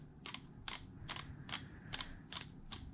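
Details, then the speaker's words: Traxxas Wide-XMaxx 8-year-old motor, removed and hand-spun: a sharp dry click about twice a second with each turn. The front bearing was suspected; teardown found the bottom bearing shot. Worn motor bearing. "bad click to it might be the just the front bearing but we're gonna pull it apart and check"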